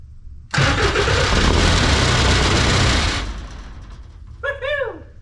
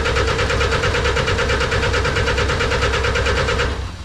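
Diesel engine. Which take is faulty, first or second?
second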